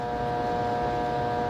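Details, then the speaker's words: Three-phase AC motor single-phasing, no load, at start-up: not turning, loud steady electrical hum, current up to 17 A, voltage dropping to about 100 V. "okay motors not turning it all just sitting here humming we're up to 17 ounce"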